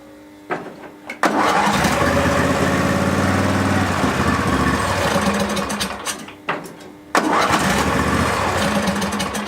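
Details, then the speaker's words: Barn-find Hayter ride-on mower, first runs after sitting, started off a jumper with the choke: two starts catch quickly and settle to a steady, even beat with no backfires or misses; engine sounds healthy. "sweet so at least we know that it runs and it sounds pretty nice it is runni"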